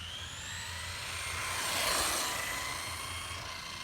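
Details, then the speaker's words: Traxxas Slash 4x4 RC truck running just after a center diff was installed: a high, shifting whine with faint uneven chatter underneath. The cause of the drivetrain noise is unclear, and the new diff may be involved. "so the car is making a funny noise it's a Slash 4x4 I have no idea what noise it's making I just put a center diff in it and I don't know if that has anything to do with it"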